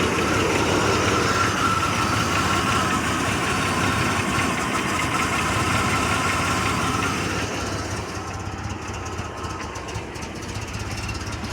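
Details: Chevrolet Blazer petrol engine idling rough with an uneven, loping pulse about three beats a second; cause unknown.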